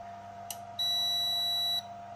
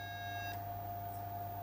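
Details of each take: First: AIMS Power 1250 W inverter charger on a 5 A-limited bench supply: single steady high beep about a second, then quiet hum as it switches cleanly into charging mode, outputting about 14.2 V. Normal charge-mode beep. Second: AIMS Power 1250 W inverter charger on a current-limited bench supply, chip heated with a heat gun to recreate failure: steady high beep over low electrical hum, then unit trips off, flickering and drawing heavy power; failing control board.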